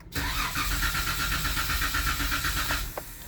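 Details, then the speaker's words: 2016 Jeep Wrangler JK 3.6L Pentastar with Baxter oil filter adapter, after oil change, priming oil with gas and clutch floored: steady starter cranking, about four even pulses a second for three seconds, turns over without firing as intended. "You hold the gas and the gas pedal all the way to the floor and the clutch pedal all the way to the floor, and you crank it, and it will not start, but it'll turn over."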